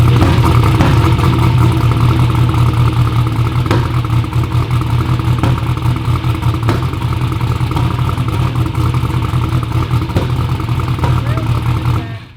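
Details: "Black Sheep" V8 race car at first fire-up runs loud and lumpy with an uneven beat, irregular pops and stumbles; misfire from spark plug wires on backwards. Crank trigger was suspected first.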